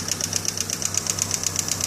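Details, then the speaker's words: 1991 GMC Sonoma 2.5 litre Iron Duke after stripped cam gear replaced and new hydraulic lifters: sharp, regular ticking about eight per second over a smooth four-cylinder idle; valve train noise persists, cause unknown. "all right we got my 91 gmc sonoma um iron duke right there as you can hear is that ticking i've replaced all the lifters and whatnot"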